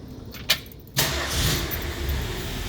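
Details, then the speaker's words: 1974 Ford Bronco, restored engine with a DuraSpark/HEI ignition, cold start with no gas pedal pumping: brief crank, catches immediately and settles into a steady, even idle; normal cold start. "Runs pretty well. I'll fire it up and show you. I don't even need to pump the gas. It'll just fire right off."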